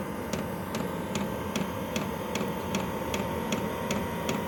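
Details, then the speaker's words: Chinese diesel heater switched to level three with the fan speeded up: crisp, evenly spaced fuel pump ticks about 2.5 per second over a steady fan hum, with output near 150–165°F. This is normal fuel pump metering. "the fan is increased speed pumps increased the amount of fuel that's pumped through"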